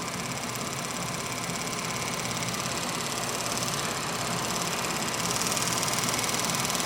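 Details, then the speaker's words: Pride power chair drive motor running. A steady high electric whir with fine, fast ticking throughout, confirmed as the brushes, not the rear carrier bearings. Noisy but not affecting operation; worn motor brushes. "the motors still on the side makes a significant amount of noise I have confirmed it is the brushes not the rear carrier bearings"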